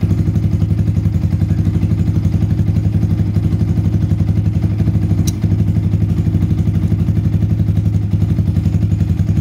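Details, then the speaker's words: Yamaha Vixion (Xabre) idling after an engine overhaul with a new piston and cylinder block, valve clearance set at exhaust 0.15 and intake 0.10, and compression back to normal: a steady, even low thump with no ticking or knocking, so the engine sounds smooth. "untuk suara mesin sudah halus celah klep saya set X berukuran 15 sedangkan in berukuran 10"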